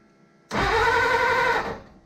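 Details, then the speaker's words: 1939 Hudson 112 Brougham, long-stored, first start attempt: starter whirs about a second with no firing. Test light shows the ignition points aren't making contact, probably from corrosion. Crank, no start, no spark. "you that that the points aren't working. That means they're not making contact. It means it's probably got a little bit of corrosion or something in it."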